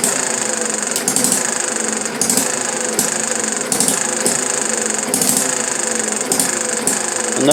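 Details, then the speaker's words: Chinese Banggood model hit-and-miss engine, 6-volt battery ignition, muffler off, flywheel flyweight governor: sharp firing bursts roughly every second with quieter coasting gaps, skipping strokes as it should; normal hit-and-miss running. "There she goes. Get the muffler off. You can hear it hitting and messing."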